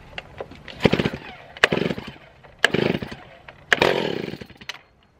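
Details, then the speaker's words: Small engine, started outdoors with the top off, fresh fuel in and the tank flushed. Four pulls about a second apart each catch with a short ragged burst that dies away; some life, a good sign. "there's some life that's a good sign"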